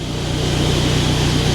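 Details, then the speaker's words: Kia Sportage bought at auction with hidden damage, just after it fires up straight away: steady, even low idle hum with no knocks, ticks or squeals; a clean, healthy idle. "so we got one key um let's have a look all lights up fires up straight away"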